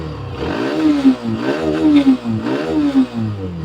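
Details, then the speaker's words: Hero Xtreme 125R 125cc in neutral, three clean rev blips sweeping up and falling back about once a second, no rattle or tapping; healthy, owner says rpm should not exceed 8 (thousand) or engine problems may follow. "इतना यानी RPM आठ से ज्यादा बिल्कुल नहीं जाना चाहिए चलो मैं अभी इसको बंद कर देता हूं तो गाइस आपने देख लिया ठीक है ठीक है आपको रैप बस इतना ही देना है उससे ज्यादा नहीं देना है वरना इंजन में प्रॉब्लम आ सकता है"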